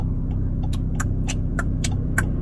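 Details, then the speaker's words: 2020 BMW 330i xDrive with automatic transmission while driving: a light, sharp tick roughly every quarter second over a low, steady cabin drone; source unknown. "this thing is even more quiet except there's this weird ticking noise do you guys hear that"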